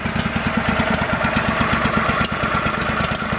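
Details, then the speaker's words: Go-For Digger engine left unused on an estate, popping unevenly at idle, running on one side only while the other side does nothing; bad spark plug suspected. "it's just on that side that's running. Yeah, this side's doing nothing. That side's doing all the work."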